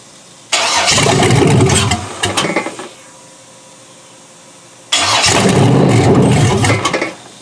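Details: Junkyard 6.0L Chevrolet engine from a 2002 Chevy truck, pulled from a mud hole (no water in the oil), first start on a temporary test harness: fires and roars about two seconds, sputters and dies, catches again, fades out. Keeps stalling; owner suspects fuel starvation.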